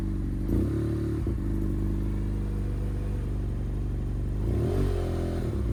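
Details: 2015 BMW F800R twin after being rinsed, check engine lights on: high idle with revs surging and dipping unevenly; thermostat or temperature gauge suspected for error codes; erratic idle and throttle response, cause undetermined.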